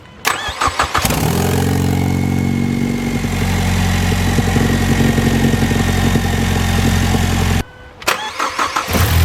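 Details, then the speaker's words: Ford Mustang 2.3L turbo started after replacing downpipe exhaust gasket: catches quickly, flares briefly, then settles to a smooth, even idle with no exhaust leak ticking. "there you go you don't hear any uh you don't hear any exhaust leaks anymore it's completely different"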